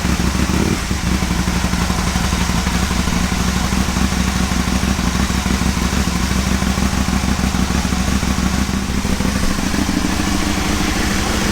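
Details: Aprilia Caponord V-twin after ECU tune setup and throttle body balancing with vacuum gauges: steady idle with an even low thump about three beats per second and no odd knocks; sounds healthy.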